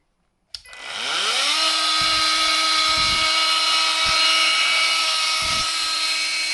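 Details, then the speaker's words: Repaired Makita DTM50 cordless multi-tool, motor repaired, run on new 6 Ah Makita batteries: quick spin-up to a steady, loud, high buzzing whine that holds evenly without stumbles; normal for this tool and running healthy after repair. "Sounds pretty good. They always make a right racket. It sounds like a bloody demented bee."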